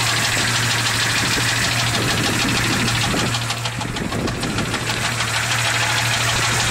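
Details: 1996 Jeep XJ Cherokee 4.0L I6, 200k miles: a loud, sharp, regular metallic knock at idle, about three per second, loudest near the rear driver's side. It is much louder when revving, with no power loss. It was quiet for months, then got loud after adding Valve Medic and Lucas oil stabilizer. Two mechanics say it is not an exhaust leak; cause undetermined.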